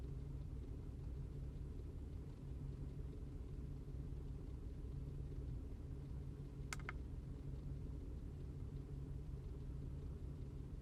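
A low, uneven idle rumble with irregular stumbles every so often. The engine is missing at idle, cause not yet clear.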